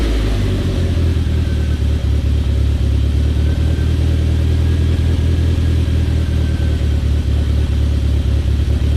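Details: Talon on E85 warming up after a cold start following two months sitting; deep, steady low rumble swelling with a couple of blips, no knocks or misses. Normal warm-up idle.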